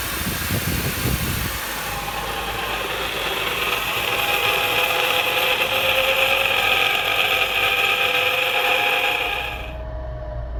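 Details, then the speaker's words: 2014 Honda CR-V on a lift: a scratchy, hissing grind like a wheel bearing from a worn drive shaft center carrier bearing. Heard under and inside the vehicle, at about 40–60 mph. "It's a drive shaft carrier bearing noise. So I want you to hear this, okay? I don't know if you guys can hear that or not. Sounds like a wheel bearing, but it has a scratchy noise to it as well."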